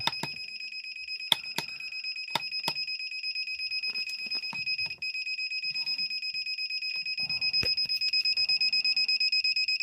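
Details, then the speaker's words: Dometic 3-way caravan refrigerator, about 3 years old, set to gas mode: steady run of short high beeps about three a second, a gas lockout alarm because the flame fails to ignite; the main controller's ignition is being repaired. "Nhưng bây giờ khi mình để chế độ gas thì báo lỗi ngay, thông thường với trường hợp tủ lạnh gas 3 chiều như thế này thì khi mình set về chế độ gas thì van điện tử van gas mở ra và có ngọn lửa bùng lên."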